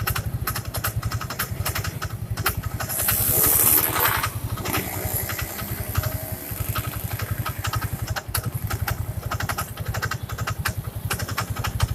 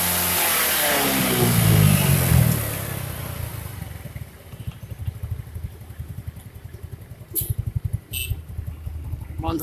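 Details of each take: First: First-generation Yamaha Mio scooter idling: fine at first start, then after a few seconds an uneven scraping rub over the steady putter in the CVT area; noise vanishes with the cover off, traced to the kick-start shaft rubbing the crankshaft. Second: First-generation Yamaha Mio scooter after refitting the CVT cover with the kick-start part hooked correctly: revs then settles to even idle, no grinding from the belt drive; noise gone, shaft to be greased to prevent recurrence.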